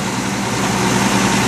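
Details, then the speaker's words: 1989 Jeep Cherokee idling with the AC running after the brake booster replacement: smooth, even hum with the electric fan cycling on and whooshing on top. It idles cleanly, holds a good temperature and does not overheat. "as you can hear, I think it sounds, I have the AC running right now, so it keeps kicking on the electric fan, which is fine. What I expect it to do."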